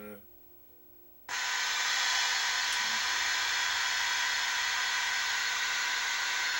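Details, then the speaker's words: 1978 Bally Midway Sea Wolf II arcade PCB during repair, two-player mode after firing: quiet start then a loud steady hiss that holds, torpedo/missile sound seemingly stuck on, with a buzz in the back; cause suspected, not confirmed. "we got a buzz in the back and then we have it sounds like the uh the missiles of the torpedo sound is like stuck on maybe maybe yeah"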